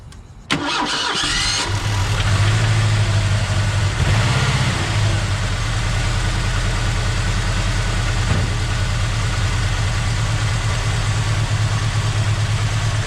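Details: 1986 Ford Mustang SVO: the engine cranks, catches and settles into an uneven, stumbling idle with a brief rev; a steady misfire remains whether injector 1 is plugged in or not, and the owner suspects the injector wiring under the elbow.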